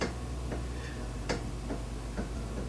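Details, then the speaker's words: Sharp metallic ticks come irregularly as the front wheel is rocked by hand; the tie rod end joint is loose while the other end doesn't move. Worn tie rod end. "Okay, so hopefully you can audibly hear that tink noise. I'll try to make it louder. Okay! So, what I can tell right now, by doing it on this end, is this end of the joint is not moving, where this end of the tie rod is not moving. So, our joint is actually loose down here."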